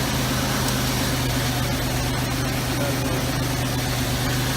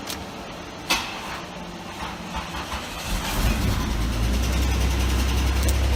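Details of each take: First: 1989 Oldsmobile Toronado Trofeo started after a year in storage; steady, even idle with a low hum, the earlier dry-start tapping now gone under background noise, engine settled and running smoothly once oil circulated. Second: 1989 Oldsmobile Toronado Trofeo, first start after long storage, jump-started: quiet, then fires into low rumble with a light, fairly regular tick, owner suspects dry-start oil starvation; cold-start ticking, cause not confirmed.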